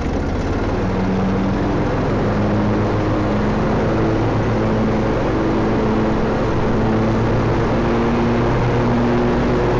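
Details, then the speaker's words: John Deere L120/LA140 riding mower after mower deck greasing maintenance: steady engine drone with even blade whirr and no squeak or chirp; deck now turns much smoother. "alrighty that one is so much smoother"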